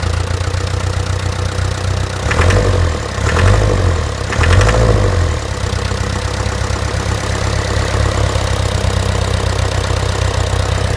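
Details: Land Rover Series 3 diesel at idle: heavy low idle with a hard repetitive knock and a few louder surges, persisting after new fuel pump, filter and injector pipes; cause unknown.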